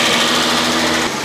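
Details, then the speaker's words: 1987 Renault 25 V6 Turbo with the idle hose clamp removed: fast raised idle with an even buzz that drops off at once; idle runs too high. "And one thing that is really annoying is if I remove this clamp, I get a pretty high idle. And I would really like to fix that."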